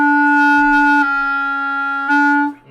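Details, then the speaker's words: Clarinet bridge key seal check playing low E flat with 1-and-1 fingering, tapping the lower-joint ring: clear steady note with no wobble, buzz, air leak or bump; bridge key sealing properly. "that's working pretty well but i can tell if it's if it's sealing all the way by tapping on this when i'm playing okay so that's nice and um steady there's no bump"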